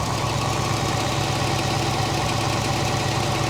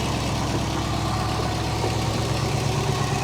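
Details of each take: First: Late-1990s (circa 1996) GMC/Chevy K3500 V8 after minor lightning strike, straight pipe, running on stale gas with burned fuel pump relay pin wiggled; loud idle with light quick ticking from injectors, otherwise steady and quiet, no knock. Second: Late-1990s GMC/Chevy K3500 after a minor lightning strike, running on stale gas with a straight-pipe exhaust and a burned fuel pump relay pin wiggled to run: steady V8 rumble, some injector ticking, no deep knock; normal idle.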